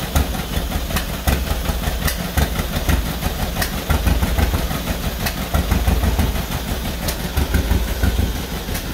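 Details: 1949 John Deere B at first start after engine rebuild, running on used spark plugs and possibly low on fuel: uneven, lumpy low thumping with irregular beats and occasional sharp cracks, then stalls; rough running, cause not confirmed.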